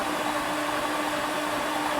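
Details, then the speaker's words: Flood-damaged 2018 Jaguar F-Type SVR 5.0 supercharged V8, cranked with all spark plugs removed after muddy water ingress: fast, even starter whirr turning freely with no compression strokes; normal cranking. "oh oh that's really interesting it just turns over"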